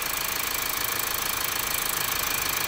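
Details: Mazda CX-5 diesel with high, spiking oil pressure and carbon buildup, at about operating temperature with oil pressure 30: quick, even idle clatter with airy rush from open oil filler, steady.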